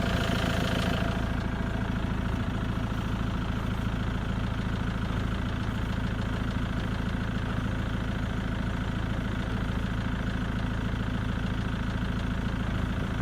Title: Ford mondeo clicking noise